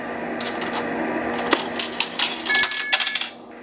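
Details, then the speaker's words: Western Electric 3A/3A2 ECPT Pacific Bell payphone, Susan B. Anthony dollar dropped: coins rattle and clink through the chute, then a short steady two-pitch beep; normal coin deposit tone, coin accepted. "hi guys I'm gonna drop a susan b down here and hopefully you'll hear what the coin tone sounds like"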